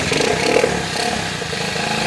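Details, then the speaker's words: Honda ATC110 ("Mater") after a head swap with a different piston and jug, fired on the third pull: small single thumps along at a fast, even idle with light clatter. Running fine after the top-end swap. "but mater's back together so completely different top end right it took three pulls no to fire it up"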